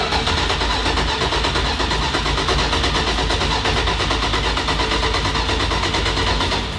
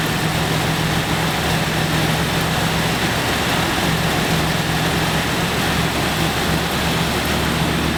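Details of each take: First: 1970 Dodge Challenger T/A, 340 V8, stored nine years, fresh fuel in tank: starter cranks at a steady even beat for seconds with no firing while priming the fuel pump; still no fuel reaching the carburetors, crank no-start. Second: 1970 Dodge Challenger T/A 340 V8, first start after nine years in storage, not yet warmed up: catches and settles into a steady even idle with a smooth burble, no lifter ticking.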